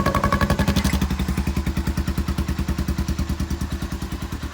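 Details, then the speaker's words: Honda Foreman 350 4x4 ATV, rusty rattling muffler after welding and an added quiet core: steady single-cylinder thumping at idle with a hollow, tinny ring; the large exhaust chamber flexes and resonates. "because there was some resonance in here and"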